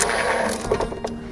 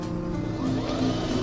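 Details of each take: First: Neta S electric car, about two years old with over 80,000 km, rear 'rolling balls' noise while driving, dealer blamed the motor; on the lift, wheels spinning: loose metallic rattling clatter fading as it slows; worn bearing inside the differential. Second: Neta S EV, 2 years and 80,000+ km, on a high-speed road test after its rear differential bearing with failed plastic cage was replaced with steel-cage bearings: only a steady, even motor whine with no rolling-ball noise; normal drive unit.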